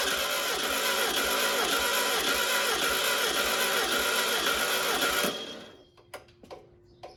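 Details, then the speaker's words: Unknown-mileage VW 1600 dual-port engine for a 1969 Karmann Ghia, sat for unknown years: starter cranks it at a steady beat for about five seconds but it never fires. Fuel reached the filter, but none was seen coming out of the carb. "I'm not gonna lie I had hopes that this would Roar to life an idol I think I was had too much wishful thinking seeing gas squirt yeah"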